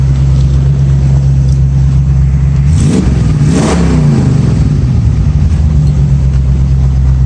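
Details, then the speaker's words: 1965 Mustang idling near 180°, heard from the rear, with new aluminium radiator and electric fan replacing the old fan: even, steady low idle, no fan clatter, not missing; a passing car briefly swells over it. "Sounds good from back here. Not missing or anything."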